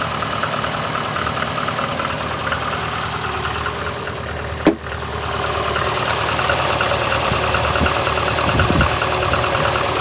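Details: VAZ 2115 8-valve engine, cold idle after head gasket failure at cylinder 1 seven days ago (antifreeze and 5W40 Lukoil oil changed): uneven misfiring idle with an irregular light knock; check-engine light comes on, brief jerks while driving; owner suspects worn valves, cause unknown.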